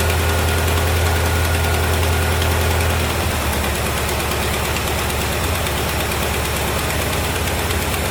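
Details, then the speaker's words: 1973 Chevrolet Corvette C3 V8 revival, run after a shot of gas down the carburetor: deep, even idle rumble settling into a steady beat, no miss or knock; a little smoky but not worrying; normal idle. "it's a little Smokey but I'm not not really worried about it"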